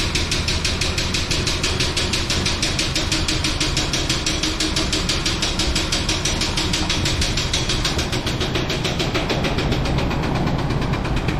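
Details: 1999 Chevrolet Tahoe, sat 13–14 years: heavy, fast knock, roughly three a second, hammering over a rough idle from a blown bottom end, likely from water in the oil pan instead of oil; transmission decent.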